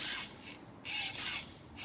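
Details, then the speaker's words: 2012 Volkswagen Passat removed stabilizer bar pushed by hand: three rough scraping creaks; joint has excessive play where a new one stays tight, causing the speed-bump creak; bar and links replaced. "이 소리 있죠. 이렇게 원래 움직이면 안 되는데 이 유격이 많이 있는 거예요."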